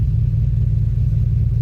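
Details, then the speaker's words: 2007 Pontiac Grand Prix GXP LS V8 idling right after camshaft position sensor replacement (previous sensor was wrong year): deep, steady, even rumble with no misses, knocks or ticks; fired right up, whole car shaking. "Cool. Fired right up with this cam sensor."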